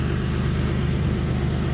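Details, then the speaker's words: Steady low idle rumble with faint rhythmic puffing after new eBay test pipes installed; exhaust leak at start of test pipes, gas felt pushing out top and both sides of joint. "yep and if you put your hand by the uh where the exhaust is coming from you should be able to feel exhaust gas is pushing out and that's what i'm feeling right now"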